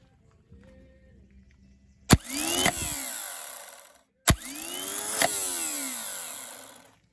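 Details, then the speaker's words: Starter, motor and solenoid previously flooded with fresh water, run after cleaning corroded solenoid copper contacts and brush rigging, jumped across the start terminal; solenoid clacks, then a smooth whine that rises and winds down, spinning freely. "got my positive lead hooked back up taking jumper across this uh start terminal to the positive solenoid and you hear the motor"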